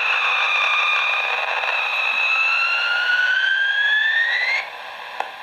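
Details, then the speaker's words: Cheap USB iPhone wall charger heard as interference on an AM radio: shrill whistling tones around 2–3 kHz drift upward for a few seconds after unplugging, lasting until its internal capacitor discharges. "this one in particular is for charging iPhones you can use it for any sorts of us device but USB devices but when you plug it in sounds like someone's screaming when you pull it"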